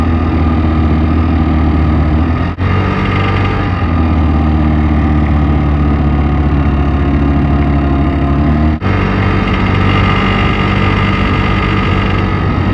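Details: Piaggio X9 500 scooter engine at steady idle: a busy metallic clatter over the low hum, a timing chain rattle against the tensioner.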